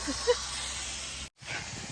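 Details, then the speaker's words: Truck air brake line leak at the front corner below the steering wheel: a loud, steady hiss that stops under a finger; two pipes rubbed through in two places. "You can hear that when I put my finger on it, the leak stops, and I think what has happened is the two pipes have rubbed together, because you can see a bit of rub on that."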